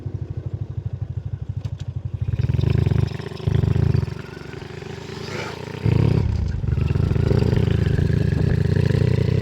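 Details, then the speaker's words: Honda RS125 carb-type motorcycle after the noisy primary clutch was fixed (a loose one-way bearing and loose housing were the cause); single-cylinder putter at idle with throttle blips, clean pickup and no clutch-side rattle; noise gone. "So bale ito Marias naest natin. Hindi naman siya umingay."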